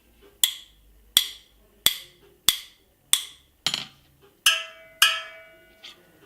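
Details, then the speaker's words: Supermotard spoked wheel: a wrench taps each spoke; tight spokes ring with a bright, melodic ping, while one loose spoke gives a dull, hollow, dead tap. "vous entendez bien que le rayon ça sonne c'est à dire que vous tapez dessus que ça ne sonne pas creux ça fait comme une petite mélodie et quand ça sonne creux ça sonne un son assez ac un peu ce sont là"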